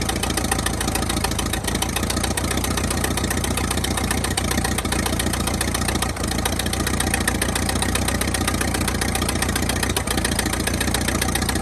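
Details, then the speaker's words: 1922 International truck that sat 30+ years, first run after revival, engine not yet warm: steady, even thumping idle with no misses or knocks; normal idle, though oil is spitting from the oil pan area. "well I got to say she runs pretty good uh see how warm she is she's not too warm just yet"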